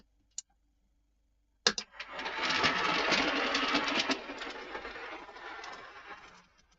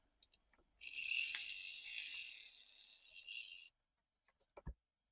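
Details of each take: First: Triang 0-4-0 model locomotive after servicing. Runs very quietly with soft wheel rattle and only a light motor whir, no grinding; one of the quietest Triang motors. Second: Triang 0-4-0 model train locomotive during servicing: small motor spins with thin high-pitched crackling buzz, heavy sparking at the brushes; owner suspects bending the brush holder back may help, poor connection in one direction.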